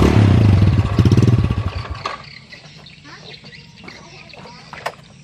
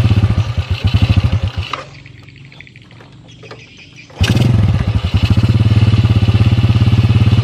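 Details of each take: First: Yamaha Jupiter motorcycle with strong compression that won't run below about 3000 rpm, dying when revs drop to 2000; runs rough on throttle briefly then falls away and stalls; stalling at idle from a clogged pilot jet in the carburetor. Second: Yamaha Jupiter motorcycle that would stall below 2000–3000 rpm, now holding about 1500 rpm without dying before carburetor adjustment; after a brief stall it settles into an even low thumping idle, about three pulses a second; normal idle.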